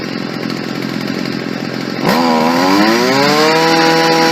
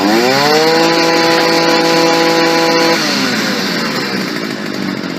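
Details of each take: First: Stihl FS 55 R trimmer after a carburetor install, during final adjustment: the two-stroke fires up and climbs lazily before settling into a steady buzz, still sluggish on the low end. Lean low-speed mixture, so the low-speed jet is richened slightly. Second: Stihl FS 55 R trimmer after a carburetor install, after richening the low-speed jet slightly: holds a steady high buzz, then drops back cleanly to a smooth, even idle with no stumbling. Now running as it should.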